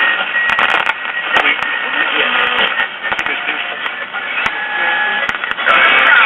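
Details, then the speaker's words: 1951 Silvertone five-tube radio, after repair of a defective IF transformer that had caused thunderstorm-like noise: crackly, narrow broadcast of voices and music with occasional static pops; normal station reception is back. "okay we're getting some reception now"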